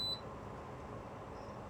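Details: Dometic Freshjet inverter air conditioner, target temperature changed to 20 in the app on cooling mode with ambient 23 degrees; one short beep then quiet fan hum, normal command acknowledgement.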